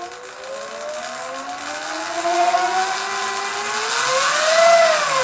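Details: Sur Ron electric bike after jackshaft replacement, freshly reassembled with RTV, throttled gently: clean motor whine rising and falling smoothly with throttle, no clanking or rattle; the earlier drivetrain clanking is gone.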